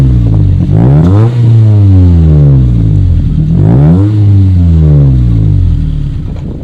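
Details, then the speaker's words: 2005 Honda Civic with a $20 eBay muffler fitted to the stock exhaust using adapters and flex pipe, silencer in, on a test drive. A clean, smooth note rises and falls evenly with no rasp or rattle: a healthy exhaust. "it sounds good there's no rasp there's no rattle no reap op has just got a nice clean sound"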